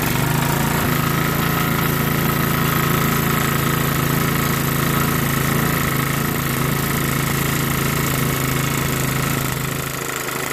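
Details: MTD Yard Machines 5.5HP 24-inch snowblower with a newly fitted carburetor runs with an even, steady putter and no surging or misfire; healthy, normal running.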